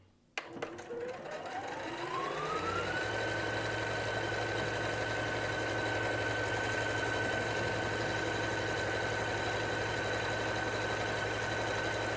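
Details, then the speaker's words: Singer SE9185 sewing and embroidery machine sewing buttonhole number 2, started with the Start/Stop button: the motor spins up over two seconds to a steady, even stitching hum, with a rising whine that levels off. It sews normally and cuts the thread automatically. "aí eu aperto o botão Start Stop e ela vai começar agora a fazer a casinha de botão."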